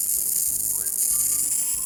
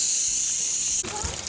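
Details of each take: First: Rain Bird irrigation system spring start-up, air purging from lines: hiss of escaping air and water, then quick even ticking about three to four clicks a second as rotor heads pop up; normal rotor sprinkler operation. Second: Rain Bird irrigation system at spring start-up, main valve opened only slightly: a steady high hiss of water leaking at a fitting, normal at low pressure; it seals up once the pressure is raised.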